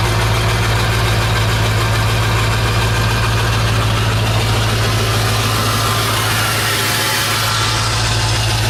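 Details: 1996 Ford F350 7.3 Powerstroke diesel after electronic fuel conversion with new fuel pump: deep, steady clatter settling into even idle, no misses or knocks; running smoothly.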